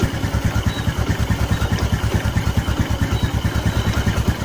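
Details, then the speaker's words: Karisma carbureted motorcycle after repair of the rich-running fault, idle screw turned down: even, steady idle with regular exhaust pulses and no stumbling; fuel and combustion now normal. "Well, now it's about to slow down, friends, so the fuel and combustion are normal. It's not like it was slowing down."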